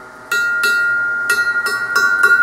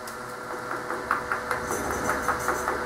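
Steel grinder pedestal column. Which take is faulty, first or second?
first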